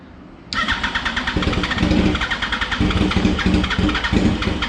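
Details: 2004 Yamaha R1 unstarted for over 10 years, with a new fuel pump, lines checked and injectors checked two years earlier, cranks hard with a steady fast chuffing rhythm for several seconds but never catches; long crank, no start.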